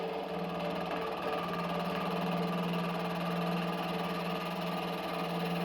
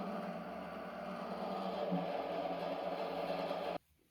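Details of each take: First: Used small milling machine taking a light cut in round aluminum bar: steady motor hum with a light, even cutter chatter and no grinding or squeal; cutting fine. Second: Used small benchtop milling machine (about 150 kg), rusty and dirty, on its first spindle run with a thin drive belt: steady low hum and faint whir that stops cleanly; the owner isn't sure whether the sound is good or bad.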